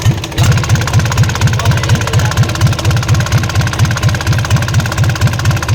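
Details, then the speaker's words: Isuzu 4BC2 diesel jeep knocks at idle and when lightly throttled, a heavy regular knock about twice a second; traced to the injection pump, not inside the engine, so the pump is to be removed. "Sige sige sige sentensya an nakita na nakita na ah sa loob ng injection pump ang naririnig natin na lumalagutok at wala sa loob ng makina"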